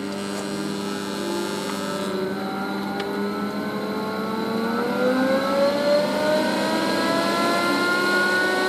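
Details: Chinese 12V 4A turbo blower exhaust fan in a lab: loud whine climbing steadily in pitch as the fan spins up, wailing like an air raid siren; cause unknown.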